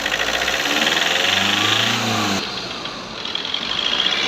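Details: Skoda Rapid diesel after injector replacement: idle climbs on its own, holds raised revs, then drops back smoothly during the automatic injector adaptation, accessories off; nothing faulty.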